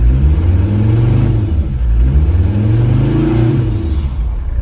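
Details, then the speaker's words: Mercedes diesel-swapped Chevy S-10 on its first test drive after fitting a bigger rebuilt turbo. Revs up and back down twice, smooth and clean through the range with no whistles or misfires. The transmission is reluctant to shift. "This is our first test drive with it. Sounds really good. Sounds really good."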